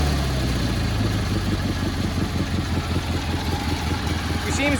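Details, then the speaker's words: Cub Cadet 1430 lawn tractor after years sitting, new spark plug and carburetor mixture adjusted: settles into a steady even low thumping idle with no misses; normal idle. "he's running a little bit better mess with our mixture a little bit more"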